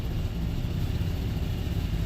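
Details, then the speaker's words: 1996 GMC Sierra C1500, warm idle after a drive, following the mass airflow sensor fix for sputtering and hesitation: low, even rumble with no stumbles or misses. Small exhaust leak known; idle is smooth. "I have a little exhaust leak which I had to change eventually just don't have the money for it right now so it's pretty smooth"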